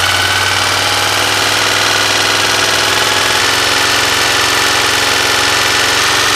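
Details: 1986 Honda VFR400 NC21 V4 motorcycle idling steadily, with a fast, even knocking clatter riding over the engine note; cause unknown.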